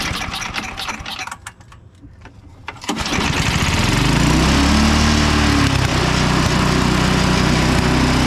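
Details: Craftsman 5hp Tecumseh 24" snow blower after oil change and ultrasonic carburetor cleaning, started on choke: a few pull-cord rattles, then the engine catches and settles into a steady, even run; normal start after repair.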